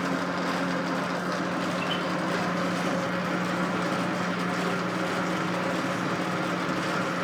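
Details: Old Rockwell lathe being returned to service, running at steady speed with the quick-change gearbox on its highest setting: constant low hum with a dense, rattly clatter. The clanking comes from the Reeves variable-speed drive.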